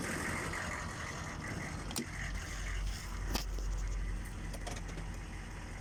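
A deep, uneven diesel rumble at idle with an irregular, lumpy beat rather than a smooth even clatter: rough idle.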